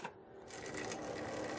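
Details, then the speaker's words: Yamaha cassette deck gives busy whirring and light ticking with no steady drive sound, and it oddly detects a metal tape. The drive isn't engaging, and the owner thinks it probably needs new belts. "I mean listen to that yeah this thing is just needs belts probably"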